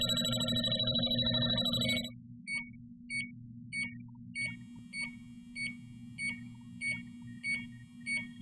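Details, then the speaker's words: JB Industries LD5000 Prowler refrigerant leak detector run past a cap that held refrigerant: a brief warble, then steady high chirps about every 0.6 seconds. It will keep alarming until the refrigerant wears off. "Okay, and that will alarm until the refrigerant wears off."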